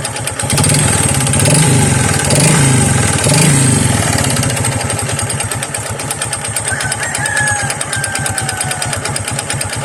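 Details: Honda XRM 125 single-cylinder, kick-started before overhaul: loud regular pounding about three beats a second over the exhaust, worn connecting rod knock mixed with piston slap.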